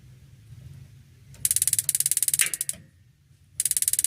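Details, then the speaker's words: Modena magnet-type gas water heater, igniter ticking about 20 sharp clicks a second for roughly a second in two bursts; igniter works and the gas solenoid then opens; igniter stops after 8 seconds if no flame is sensed. "Tik tik tik tik itu pemantik. Itu hanya sedetik aja teman-teman."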